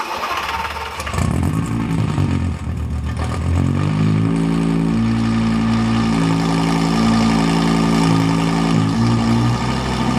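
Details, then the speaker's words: Fire-damaged Lamborghini Gallardo LP520 during repair, started after injector area blown clean: catches after a second, then lumpy wavering idle with dropouts, not responding to throttle, many fault codes; misfire, cause not confirmed. "The car isn't responding to the gas, so obviously there's still a problem. He's also giving quite a few errors."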